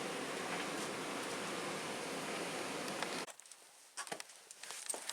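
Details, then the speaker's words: Tumble dryer tested with no heat, direct belt drive without a jockey wheel, belt dry and starting to crack: soft, steady whoosh with no thumping, squealing or scraping before the drum stops; running quietly and smoothly. "Other than that, listen to that whisper. That is quiet."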